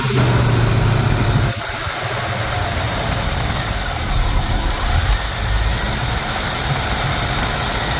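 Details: Mostly original two-owner 1973 Camaro, first start after work, distributor turned counterclockwise: even fast idle near 2000 rpm that never settles; finding is high idle, throttle held open by stuck linkage, here a snagged choke plate.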